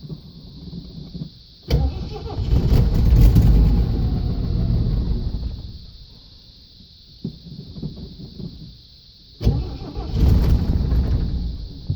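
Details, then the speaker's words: 1979 Jeep CJ5 with AMC 258 inline-six, manual, just brought home, first start: cranks, catches and revs, then sags and nearly dies before catching again. Sounds fuel-starved; owner suspects poor fuel delivery, maybe air in the line. "seems like it's not running to get fuel real good yet maybe there's a little air in there"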